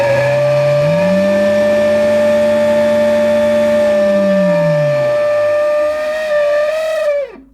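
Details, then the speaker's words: 1980s Hoover Sensotronic System 30 cylinder vacuum, bought untested as running with good suction: the motor spins up to a high steady whine with a wavering low drone underneath, then winds down. It sounds a little rough; cause unknown. "it does turn on and run with good suction however the motor sounds a little rough"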